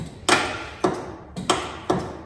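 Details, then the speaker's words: 1989 Ford F150 with 302 V8, parked for years with rat-damaged wiring: sharp single clicks about every half second with no cranking, on a suspected dead battery. Starter relay suspected; the solenoid was later found not sending power. "We might have low voltage. Something's clicking over there. I guess it's a starter relay."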